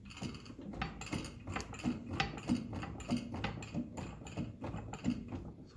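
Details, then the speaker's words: 1957 Ferguson 35 TVO tractor, engine off, steering rocked giving loose metallic clunks about 1.5 per second; worn ball on the radius arm end, to be fixed by shimming with sheet metal. "So the other side is tight, but if you watch that, you'll hear the rattle."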